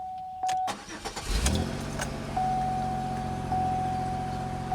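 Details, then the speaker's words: 2003 Pontiac Grand Am restarted after an injector-related misfire repair: short crank, quick catch into a smooth, steady idle with a chime in the background and no stumble or miss; normal start and idle, sounds much better. "Huh, sounds better already. Wow. I want to know how that even happened. Oh, much better."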